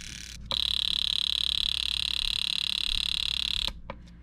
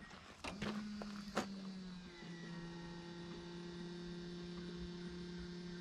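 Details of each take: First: Datsun 280ZX misfire diagnosis, with an aftermarket fuel injector pulsed on the bench during cleaning: fast buzzing clicks, about 3.5 per second, with a shrill hiss. It sounds rougher than it should. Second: Datsun 280ZX first start after replacing three bad injectors (had been running on three cylinders, rough), vacuum lines reconnected, good compression: after a couple of starter clicks a steady, even idle hum with no stumble; smooth healthy idle.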